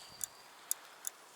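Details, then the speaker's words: BMW K75 motorcycle brake light switch, bench-tested after cleaning its mechanical parts instead of buying a new one: five crisp, sharp clicks in under two seconds, each clean and distinct; switch now functions properly. "just fine now so I'm thinking it functions properly as well"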